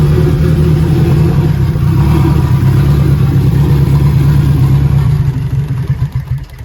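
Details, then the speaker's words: Turbo K24A2 (BorgWarner S257, Walbro 450, E85, KPro) just fitted with 2200cc injectors, idling after tune adjustments that had it stalling. Sharp fast ticking over the idle from the injector solenoids, much louder than the previous injectors. "You can hear these solenoids. They're so loud compared to the other ones."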